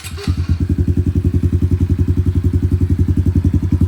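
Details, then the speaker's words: Honda CRF110 dirt bike, already warmed up, after a CJR tune on its CDI box: strong, regular low thumping at about eleven beats a second, even and free of rattles; healthy idle. "Still sounds good."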